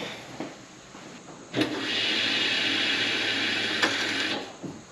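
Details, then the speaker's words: 1989 Foxbody Mustang, 340lph Aeromotive fuel pump with adjustable regulator and 6AN lines, first prime after 20+ years once more fuel added; even high whir for about three seconds then stops, pressure nearing 60 psi; normal fuel pump priming. "I heard that what was that oh we're getting fuel in here"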